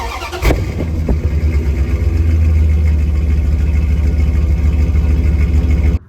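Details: 2001 Dodge Ram 1500, about 215,000 miles, after a new catalytic converter, muffler and tailpipe: the engine catches, rises and holds a smooth, deep, even drone with no rattle, hiss or puffing before cutting off; the exhaust sounds healthy.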